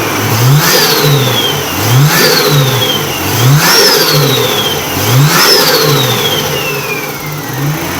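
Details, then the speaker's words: Nissan R31 with RB30 engine after cleaning a dirty distributor that caused a misfire: steady idle with four quick throttle blips, revs rising and falling cleanly without stumble or miss; running smoothly. "so as you can see runs a lot smoother um it seems to have gotten rid of the the H Mis fire so I'd say it was just the distributor was dirty"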